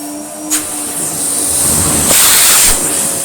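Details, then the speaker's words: Restored French Moulinex E59 cylinder vacuum cleaner running at 400 watts of its variable power (later 800, 1300): loud, steady high-pitched air rush that climbs and thickens, no rattle or grinding; not silent but very powerful, normal running. "It's not a silent machine, I have to confess, but crikey is it powerful. We are in 400 watts at the minute."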